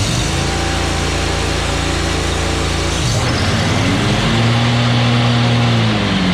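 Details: Kubota zero-turn mower, about seven years of hard use, after replacing a failed switch: steady engine drone with deck engaged under mowing load, dipping briefly and settling back smoothly; running normally.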